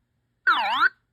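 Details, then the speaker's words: Early Bally solid-state pinball sound board after installing a replacement chip in place of the removed one; credit button pressed, giving a clean half-second warbling tone that dips and rises with no distortion or dropout: normal credit sound. "let me credit it up this is my credit so I hit that that sounds"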